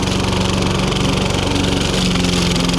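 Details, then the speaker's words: John Deere 14SB single-cylinder mower with suspected fuel issues, mulching very thick grass: rapid putter sags and labours, engine bogging under load but recovers; owner unsure if it's a fault or normal for this mower. "That's bogging it. You can hear the engine going under load."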